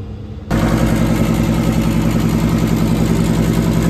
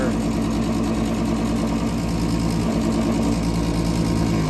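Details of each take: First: Daikin LP gas package unit after a rollout switch trip, burners cleaned and reassembled, inlet gas pressure 10.8: sudden whoosh as all burners light first time, then steady even roar, no delay or popping; normal ignition. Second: Daikin gas package unit not heating, with a tripped flame rollout switch and only one burner lighting. The draft inducer motor runs with a loud, rough, uneven hum that sags as it winds down; it is worn, failing and needs replacing.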